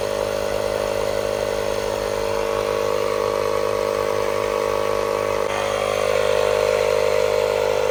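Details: Hulkman Alpha Pro portable tire inflator on a 12V socket at 50% battery, inflating a tire; a steady buzzing drone with fast piston chatter, even throughout and lifting slightly near the end. Normal operation, using about 1% of the battery.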